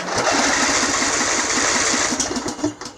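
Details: Craftsman riding mower, Briggs engine, booster pack hooked up directly after earlier starter problems: quick even cranking about four turns a second with crisp starter whir, strong healthy cranking.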